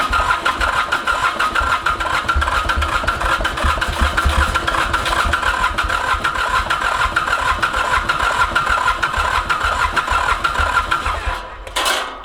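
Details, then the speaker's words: Ransomes Bobcat mower, Mitsubishi K3D diesel, first start attempt after 9 years, glow plugs removed overnight to dry the cylinders, using starting fluid: ten seconds of steady cranking with occasional firing pulses that never catch. Cranks but won't start; a head problem is suspected. "this thing is so close to going you can you can hear it wanting to just jump huh [Laughter] yeah boy that's frustrating"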